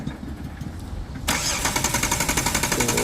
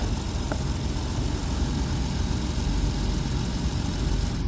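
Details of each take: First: Jeep Wrangler Sport that suddenly died while driving, check engine light on: starter cranks steadily at about four beats a second but never fires; no spark seen on the test plug, crank no-start. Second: Jeep Wrangler Sport that cranked but would not start, running after a blown fuse was replaced: steady, even low idle rumble with no knocks or misses; normal idle.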